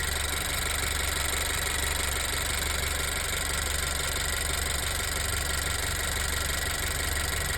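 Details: Honda EarthDreams turbo GDI engine at idle on Chevron 91 octane: steady idle with a light tick about once a second; cause unknown.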